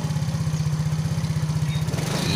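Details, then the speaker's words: Yamaha Mio J fuel-injected scooter that stalled and would not start, running normally again after service: small single-cylinder engine idles with a quick, even putter, no misses or knocks. "mesin hidup Ya teman-teman disini sudah normal sudah dinyatakan masih hidup kembali dan normal tidak ada kendala"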